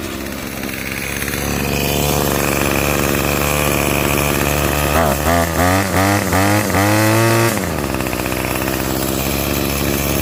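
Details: Revived curbside Craftsman 25cc two-stroke trimmer with a new fuel return line, restarted after a brief cool-down: steady buzz, revs climb cleanly on a few throttle blips and drop back smoothly; repair successful.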